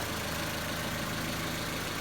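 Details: Honda Civic EG idling while warming up after sitting a long time: steady, even low hum, the earlier rear rattle now gone, idles pretty good; motor and transmission mounts still need fixing, clutch slips.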